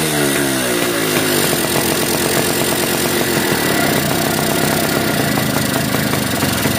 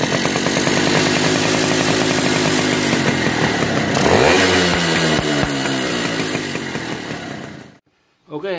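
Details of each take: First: Yamaha V80 two-stroke motorcycle after fixing a compression leak at the cylinder head with a new gasket: it revs up fast, then holds a crisp, even buzz with no popping or chuffing. The leak is gone and it runs normally. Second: Yamaha V80 two-stroke motorcycle before repair, revved high: screaming engine with sharp, even puffing about four times a second as compression blows past the cylinder head; missing or damaged gasket or loose head bolts suspected.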